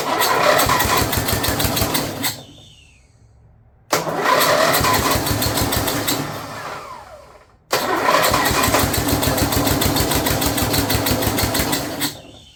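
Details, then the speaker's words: Snapper rear-engine rider, Briggs 12 HP I/C single, abandoned for years, brand-new carburetor leaking fuel, choke open, blade turning when it shouldn't: revved, fires in three short rough bursts then dies each time; owner suspects the carburetor, engine itself sounds okay. "Well, this is weird. Really feels like that carburetor's not happy."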